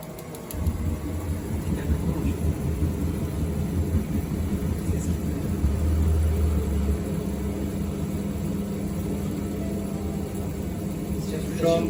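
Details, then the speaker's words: Combi boiler fan motor unserviced for about 8 years, after cleaning the dust layer off its blades: a low, smooth hum with the earlier noise and vibration gone. "fan motorunu temizledik arkadaşlar arkadaşlar yaklaşık 8 senedir bakım yapılmayan kombini fan motorundan ses geliyordu fan motorunun kanatlarındaki toz tabakasını temizledik kanatları rahatladı"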